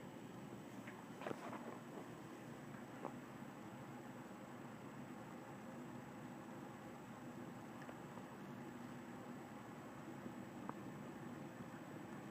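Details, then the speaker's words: General Electric 12-inch Vortalex 3-speed oscillating fan with new replacement switch, on low speed: steady even rush of air with a faint constant tone, no ticks or rattles; powerful yet quiet. "This is just low speed and I already feel it gust across the room. I really like the low speed on it because it's really powerful and yet very little noise is produced from it."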